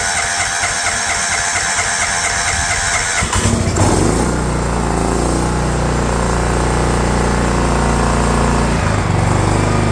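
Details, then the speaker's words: DR all-terrain mower with Kawasaki FV420V engine, revived after sitting for years, after oil change, carb cleaning and new air filter: rough a few seconds while carb bowl fills, then steady even beat, no misses; runs even better, normal running. "it runs even better now look at that"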